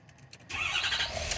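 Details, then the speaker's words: 2013 Ford F250 6.7 diesel, restarted after exiting a scan-tool output test used to force a crank no start: quiet cranking clicks, then it catches cleanly into a steady even idle; normal start. "yeah and it does you hear it it's running"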